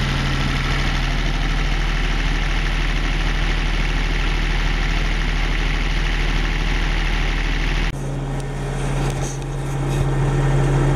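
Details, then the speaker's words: Denyo DCA-15SS-N genset with 1.6 L 3-cylinder Nissan diesel (18 PS at 1500 rpm), over 30 years old, first start in years, now warmed up, not smoking: steady even low drone, smooth regular firing, no knocks or misses; normal idle. "friends that's all I guess it's running perfectly that's a really really real reliable little machine we have this thing since the mid-80s and it never lets us down"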